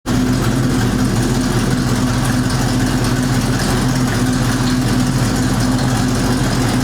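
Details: 1973 Ford Mustang Mach 1, 351 Cleveland four-barrel V8, four-speed manual, after sitting since fall: fast idle with a steady drone and a faint rapid puffing tick keeping time with the engine; exhaust manifold leak.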